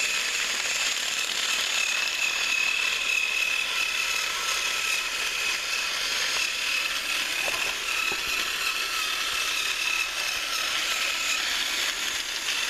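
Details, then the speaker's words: Thrift-store HiT Toys TrackMaster Percy after cleaning and motor repair, pulling two freight cars around the track: thin, high motor whine with light irregular gear and wheel clicking, pulling steadily. Normal running. "He was able to pull a couple trucks around a few laps, nothing too extreme, but he did seem to do it quite well. The noises that we heard during testing didn't seem to be too bad."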